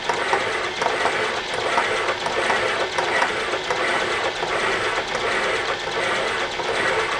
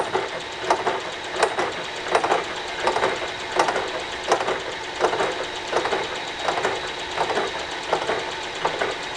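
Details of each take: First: Boring a wood chipper flywheel bore past arc-welded, hardened cast iron spots: repeating scrape and chatter about eighty a minute, sounding interrupted but less crunchy, now almost a full, even sweep around the bore after earlier passes broke the bit. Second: Flywheel from a wood chipper, cast iron arc-welded at a corner: sharp regular ticks about 83 a minute over a dry scraping boring cut, interrupted bite as the carbide tip chips in the hardened heat-affected weld zone.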